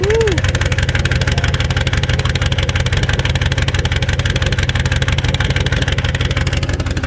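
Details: Turbocharged Mercury Marauder whose engine had been locked up by salt water: low, pulsing idle about three beats a second, slightly uneven with no distinct knock, stalls when throttle tapped; rough idle, earlier suspected knock no longer heard.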